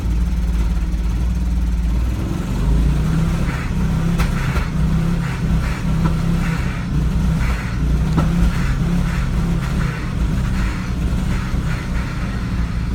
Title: V70 XC misfire problems